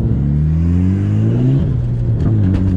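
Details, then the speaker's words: Mitsubishi Evo 8 driving in snow: engine pulls, then dull thump and knocks as load comes on; drivetrain clunk under acceleration, felt too, owner suspects a broken motor mount, not confirmed. "Right there, you guys hear that clunk? It's like under load."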